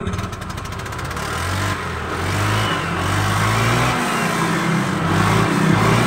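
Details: Honda Vario 125 scooter after replacing the CVT pulley bearing to cure a noisy rear wheel/CVT: engine revs up and settles with no rattle or grinding from the belt drive; the transmission runs quietly and is in good order.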